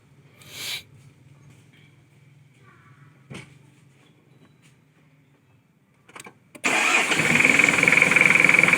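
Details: Car with a no-start, after its battery was refilled and charged to about 13.6 V: some clicks, then the starter catches and the engine fires straight up into a steady, busy idle; healthy start.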